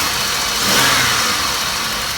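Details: Fleet Chevrolet Malibu at auction with check engine, ABS and brake lights, empty coolant surge tank; earlier knocking and ticking, now engine swells on a quick rev and settles smoothly with no knock or tick; normal rev.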